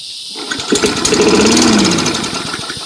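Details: Free trashed lawn mower that had a sticking float and a wet, fouled spark plug, after the plug was cleaned: silence, then quick popping that settles into an uneven but sustained firing rhythm. It runs, though not perfectly.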